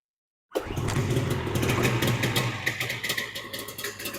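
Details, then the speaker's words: 1995 Ski-Doo Formula S 380 two-stroke, not run in about a year. After priming, the pull start catches right away and it runs with a rapid, crisp popping rhythm on its own. Normal start. "that sounded pretty promising"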